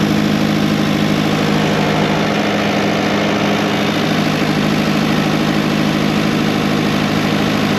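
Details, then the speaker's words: Old diesel dumper started after sitting unused for years, jump pack used: holds a steady, fast idle that won't settle because the throttle is stuck open, revs running too high. "Throttle is stuck. I want it. I'll knock it off. See, can I breathe that out a bit better? It's running too high there."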